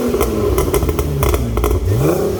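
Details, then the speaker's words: BMW E36 328i with newly fitted exhaust line and a revived pop-and-bang overrun tune: sharp cracks and pops fire in quick bursts as revs fall off; exhaust pops and bangs on overrun, working as intended. "Magnifique. C'est génial. La ligne, elle a un vrai son."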